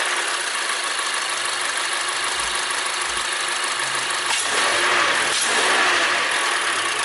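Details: 2014 Mazda 3 2.0 Skyactiv after K&N cold air intake install: steady idle with a couple of smooth blips and a louder intake rush on each rev; even running, sounds healthy.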